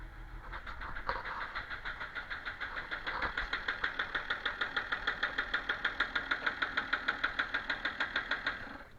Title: BMW 330D E46 135kw -06, knocking engine sound because of a bad injector